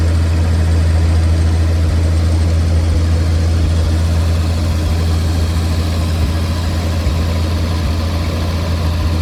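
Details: 1950 Chevrolet 4400 dump truck being revived after years of sitting, idling while warming up after cold start on choke: steady even low rumble, no misses, knocks or ticks throughout; normal idle.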